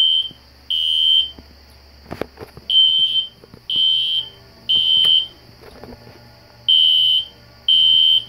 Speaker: I have the classic Spectre alert horn strobe set on low volume so it's not too loud you can hear it in the background